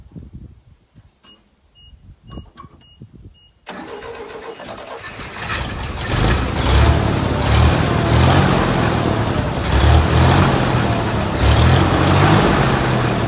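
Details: 1964 GMC grain hauler truck, sat about 20 years, first start after cleaning and reinstalling the carburetor and a fuel pump check: starter cranks briefly, engine fires and picks up, then holds a fairly steady, even idle without misses; sounds healthy.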